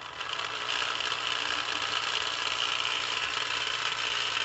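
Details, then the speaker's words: Lionel plastic-case Scout motor (#1110 2-4-2) run on DC from a DC transformer, so the reversing unit is inactive and it runs quieter: even high whirr with a light gritty gear buzz; the gears sound a little dry. "but now what I'm hearing is just the sound of the motor and gears themselves and so one it sounds like my gears are a little dry"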